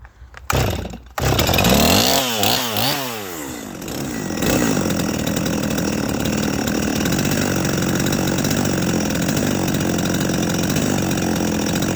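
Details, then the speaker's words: Holzfforma G255 (MS 250 clone) chainsaw after tuning, low-side mixture richened and idle set with throttle screw: after a few throttle blips it settles into a steady, even idle with no hunting or stalling. "but it's in a pretty good spot right now I'm going to let you hear it I'm going to let you see it"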